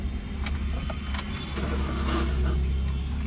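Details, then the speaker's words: Maruti Alto K10 with a starting problem and stalling while driving, after a new fuse was fitted and the wiring taped: it starts well and settles into a steady low idle with an even rumble and no misses. The starter is freewheeling. "अब बढ़िया start हो रही [संगीत] है मगर self इसका free हो रहा है"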